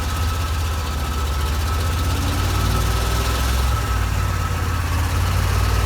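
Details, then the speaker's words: 1987 Corvette engine, cylinders blown out after flooding and plugs refitted, runs deep uneven lumpy idle that stumbles midway; dies when throttle released and floods again, fuel in the oil; owner suspects fuel seeping past piston rings. "so we did finally get this thing to run and hear what it sounds like but as soon as i let off the throttle it did die and it flooded itself again"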